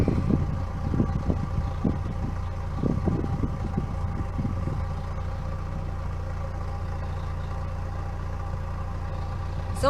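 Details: 1998 Pontiac Sunfire idling after its factory muffler was replaced with a new OEM Walker muffler, checked for leaks: low, steady exhaust burble with no puffing or ticking from the joints; quiet, even, leak-free, quieter than the old one.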